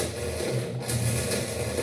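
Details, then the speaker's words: GE 10 kg washing machine agitating to one side only; continuous rough grinding and rattling, like a stone inside the basket, cause unknown before disassembly: loud grinding during agitation, agitator turning one way only. "Observe o barulho e o agitador está agitando só para um lado."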